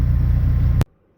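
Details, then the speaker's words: With custom harness and adapted computer, not fully tuned yet: fires right up, under a second of steady even low rumble with no misses or knocks, a smooth healthy idle. "this thing fires right up idles like a dream keeping in mind too it's not fully tuned yet either"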